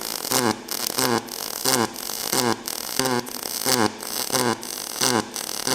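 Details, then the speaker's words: Kemppi X5 modernized pulse MIG with C18 gas at 5–6 L/min: crackling arc in even bursts about 1.5 per second. Steady, healthy pulsed arc. "Slušajte, švajceri, kako radi uređaj. To je ono što sam rekao. Modernizovani puls."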